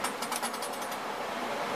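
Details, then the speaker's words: Furnace blower motor repaired after a bad run capacitor, wired to a four-speed rotary switch; a smooth, even rush of air with no rattle or hum, switched down to low speed, running normally. "there she goes I guess you can hear she's a blowin good summer I drop it down there's low"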